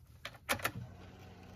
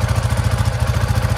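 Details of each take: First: Coleman UT400 engine idling just after start, with a loud, sharp, raspy puffing exhaust beat. It suddenly became much louder than normal on a restart. The cause found was an exhaust manifold leak. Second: Coleman UT400 engine at idle after the loose exhaust was tightened. It has a steady, even low putter with no clatter, back to normal idle as it's supposed to sound.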